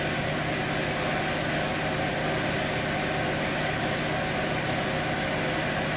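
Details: Steady, even hum with no knocks, misses or rattles from a 2018 Fiat Uno Evo petrol engine after a strange-noise repair (gasket had been fitted upside down); idles smoothly and sounds healthy.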